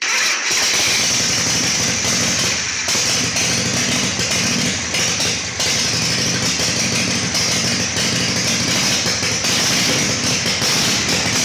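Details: Harley Shovelhead chopper with Motogadget M-Unit, new battery, solenoid rewired: catches within half a second and settles into a steady, even V-twin idle on choke, no misfires; normal start and idle.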